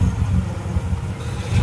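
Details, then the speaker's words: Honda Civic EK after new timing belt and tensioner: short burst of steady low engine note with slight rise at the end, even and smooth; engine runs sound after the timing job. "It sounds solid. It doesn't sound like you fucked the engine up."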